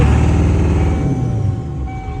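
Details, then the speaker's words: 1997 Ford F350 7.3L Power Stroke turbo diesel after sitting over winter, at 1500 rpm: heavy, lumpy rumble with uneven beats, shaking hard and skipping; misfire, IDM suspected, injectors passed buzz test. "sitting over the winter, we kind of noticed it has a little bit of a misfire. I will play that clip. 1500 and shakes. Shakes pretty hard too."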